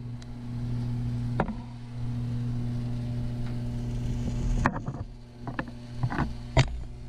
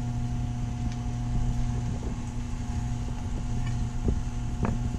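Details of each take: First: Taco circulator pumps (SS 0013 and SS 006) in a heated driveway snowmelt system, tested before startup. Steady low hum with soft water flow through the heaters, judged normal; owner is unsure about the hum, which changes pitch when the pump is pressed. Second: Taco circulator pump on a heated driveway snowmelt system, tested before startup: steady low hum with a faint higher tone under light clicks; pitch changes when pushed, so possibly vibration through the copper piping, not air; water movement through heaters is normal.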